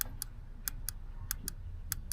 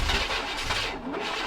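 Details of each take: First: Vortec 5.7 V8 Chevrolet Suburban with crank no-start: fuel injectors bench-tested with 12 volts directly, sharp crisp clicks in quick pairs, all alike; impedance right on spec, injectors working normally, not the cause. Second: Vortec 5.7 Suburban cold start attempt, battery voltage a touch low, intermittent fuel pressure suspected from ground wire: steady cranking that never catches; crank no start, later traced to failed cam sensor.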